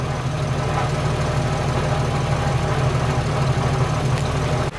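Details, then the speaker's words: Jeep Wrangler with a steady idle rumble and a loose, uneven exhaust rattle underneath, louder under load; the owner thinks the muffler is bad. "uh the exhaust it's got a terrible rattle i think the muffler is bad so you guys can hear that exhaust rattle now you really can hear it under load"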